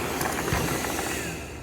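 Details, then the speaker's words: OKP Life K2 (version 2) robot vacuum after battery replacement for the red-ring fault, dust tray refitted, light blue. Brief whirring and brushing with a few light ticks, settling smoothly; running normally. "I put the garbage tray in the place, and let me turn it on. So let's see, she's working."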